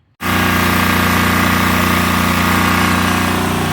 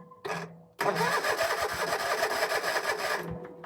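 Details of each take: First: 2011 Land Pride zero-turn mower that sat for several years, now with a new battery and fuel filter; the choke cable is still stuck. The small engine catches and settles into a steady run, pitch wavering briefly mid-run, and keeps going without stalling. Running on its own power. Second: 2011 Land Pride zero-turn mower that sat several years, cranked from a weakening jump box: steady starter churning at about three pulses a second for 2.5 seconds, turning over but never catching; spark not yet checked.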